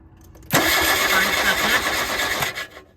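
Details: 1979 VW Rabbit won't start: a two-second burst of harsh cranking that never catches. During a cold start valve test (valve grounded to the block) the valve sprayed, so it is good; the thermo-time switch is suspected, not confirmed.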